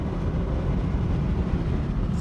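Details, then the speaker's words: 2017 Alfa Romeo Giulia Ti, 3,600 miles, at highway speed with the air conditioning just switched on. Loud, steady rushing roar in the cabin, occurring only at higher speeds; source not found. Excessive wind noise. "It's starting to cool off a little bit, but it's so loud in this car. So wind noise. There's quite a bit of wind noise."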